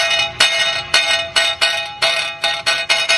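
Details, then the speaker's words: Cadillac with a rattle while driving: the loose brake backing plate (dust shield) behind the wheel is plucked, giving bright metallic twangs that ring like a guitar string. "now I don't know how to play the guitar but I know that that's a r and we're going to solve that that's just a backing plate"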